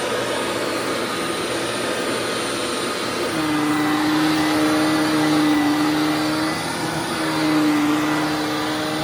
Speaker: yep definitely a lot better than it was before because the bearing was so screwed up it did a lot of grinding and wearing and all that kind of stuff